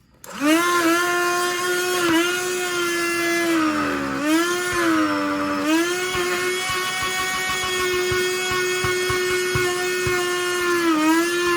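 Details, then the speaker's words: Black+Decker Dustbuster CHV1410L 16V handheld vacuum after cleaning and reassembly, intake blocked to load it. Steady high motor whine that sags in pitch when choked, then recovers. Owner suspects a low battery charge or an aging motor. Motor slowing under load. "Only when it's under a lot of load and it can't draw air through it does it start to do that. So maybe because it starts spinning slower, it might vibrate"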